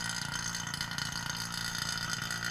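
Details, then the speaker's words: 1993 Corvette A/C vacuum pump evacuating system after new evaporator and condenser: loud, busy clicking clatter while still drawing air or moisture, becoming much more subdued once nothing is left to suck. "hear that kind of loud clicking that loud clicking will kind of go away"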